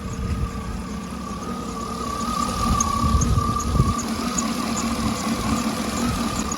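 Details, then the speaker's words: 2009 Cadillac Escalade V8 warm idle after oil pickup tube replacement, at temperature where the tick used to start: even idle, faint light background tick, no knock or rattle; oil pressure 39-40 psi, healthy. "boys and girls I think we are clear cuz right now right now right now where the temperature hand is at it would have been started ticking right now but yeah there's no oil leaks at all"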